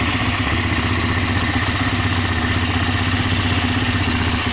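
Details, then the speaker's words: Honda TRX300EX single-cylinder ATV, previously seized and no spark, revived after freeing piston and adjusting intake valves, run off carburetor fuel only; steady even idle, no knocks or timing chain noise, healthy. "You guys can see it starts, it runs. Let me idle it down a little more. The engine sounds good, no timing chain noises."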